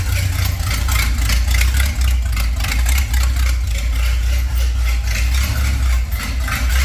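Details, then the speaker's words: 1930 Ford Model A with a 283 small-block Chevy, last run when parked in 1973, started with the exhaust removed: loud, deep, rapid V8 idle with a raw, unmuffled bark that holds steady, running on open manifolds. "All right. That's uh that's a bit noisier. [Music] As expected,"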